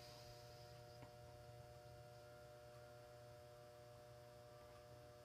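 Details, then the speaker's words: GE 400 W high-pressure sodium lamp's old, rusty ballast while the lamp is still warming up: a steady, even electrical hum with a low buzz and faint high tones. Noisy ballast hum, though it still works. "as you can hear the ballast is quite loud oh quite noisy not so loud but uh the B is quite a bit Rusty and stuff um and it's getting a little I think it's getting a little old but it still works"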